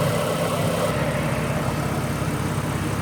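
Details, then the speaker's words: Ford BA Falcon inline-six after replacing the two front ignition coils, A/C on adding momentary load: even, steady smooth low rumble with no misses, knocks or ticks; idle remarkably smoother, misfire fixed. "So, I've changed those front two. That is remarkably smoother."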